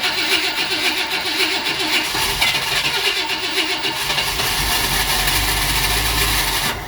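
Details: 1959 Ford Fairlane Galaxie 500, fuel poured into the carburetor, possibly flooded: starter churns with an uneven whirring rhythm for several seconds but the engine never fires.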